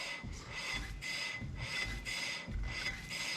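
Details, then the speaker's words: Factory Five MkIV Roadster, newly installed PowerStop Z23 brake kit, rotor spun by hand before brake line reconnected: soft scuff about once a second, faint ring; light pad contact expected to settle once pistons clamp. "It should spin relatively freely. You can hear it's just a little bit of a scuff."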